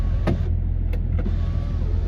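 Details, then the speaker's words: 2002 Range Rover P38 Westminster 2.5 diesel, bought unseen without MOT: sunroof motor gives a steady low electric hum with light clicks, no grinding or straining, as the sunroof closes normally and works. "Oh no, the sunroof works. But as with any sunroof, will it go back? Yeah, it's going back. It's working."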